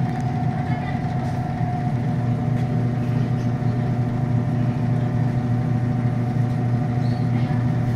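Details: TCL automatic washing machine after repair of E3 error (previously no rinse or spin): drum spinning up at full speed with an even low hum and steady mid tone, no knocks or scraping; spin now running normally.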